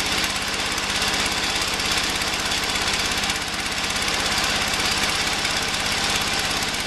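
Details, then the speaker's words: Early-80s Ford LGT120 lawn tractor, Kohler K301 12hp single, rebuilt with new piston, hard starting warm or cold: fast uneven lumpy chug with hissy edge, running rough; owner suspects weak coil signal/spark. "so here it is pretty good looking tractor use it to plow snow I mean it doesn't run well enough to cut grass with anymore"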